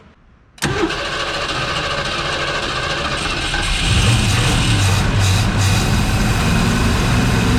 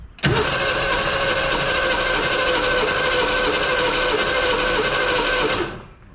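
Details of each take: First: 1970 Ford Mustang Mach 1 V8, second start try with a little gas after nearly 40 years sitting: catches first try, settles into steady, even deep idle that firms up; some smoke, likely burning off Marvel Mystery Oil. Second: 1970 Ford Mustang Mach 1, first start after nearly 40 years sitting, some new engine parts fitted: catches with sudden bang, runs ragged and uneven about five seconds, then dies; rough start after long storage.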